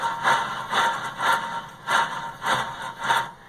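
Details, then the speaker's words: Left rear wheel bearing hub on a 2007 Honda Odyssey, wheel, caliper and brakes removed, turned by hand: gritty scraping grind about twice a second; bearing worn, stiff, nearly seized, with wheel play and noise above 40 mph. "And it is just stiff as a board. I mean, you can't spin it at all. It's just practically seized there, where it's just completely worn out, and that's what's the cause of all that noise."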